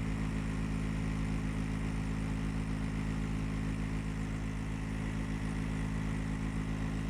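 Constant loud low hum with steady droning tones and no change throughout; the unit is running abnormally noisy, cause unclear.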